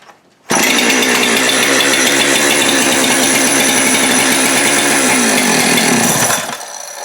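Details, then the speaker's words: Husqvarna 372XP X-Torq chainsaw running fast and steady, then sagging and cutting out when brake cleaner sprayed behind the clutch is drawn into the bottom end, showing a crankcase air leak at the failed clutch-side (PTO) main bearing and seal. "it if you shoot break clean in behind the clutch right there and that saw stops what's happening is it drew the brake clean right into the bottom end and the resultant mixture doesn't burn so chainsaw stops"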